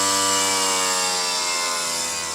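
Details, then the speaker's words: Variable-speed BPM scroll refrigeration compressor at 7,200 RPM, slowed toward 6,000 then 5,000: loud high-pitched whirring that eases lower; normal high-speed running, louder than a fixed scroll at 3,500 RPM. "mas é um ruído muito mais alto do que um compressor fixo normal. Porque agora aqui está 7.200 RPM e um compressor scroll fixo trabalha 3.500."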